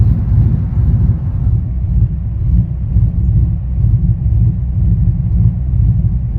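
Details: 5.3 V8 swapped into a K1500 with a 212/218 .600 cam: deep rumble with an uneven, loping pulse at idle that surges and dips irregularly; rough idle, cause not confirmed.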